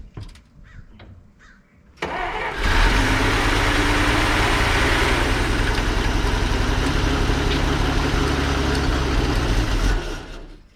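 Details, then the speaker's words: 1933 Dodge Brothers flathead 6, first start after long sitting, likely running only on starter fluid: catches after cranking, runs unevenly about eight seconds then fades and stalls; carburetor unhappy and found out of fuel. "I think that's all starter fluid. Yeah, carburetor's not happy, but it runs."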